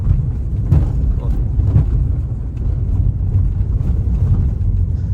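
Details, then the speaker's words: Honda Civic 10th gen (G10) on a test street, rolling slowly over bumps: dull thumps and knocks over road rumble that seem like the shock absorbers, but one shock was already replaced without effect. "a impressão de que ó dá a impressão de que são os amortecedores Porém o cliente já trocou esse amortecedor e nada resolveu"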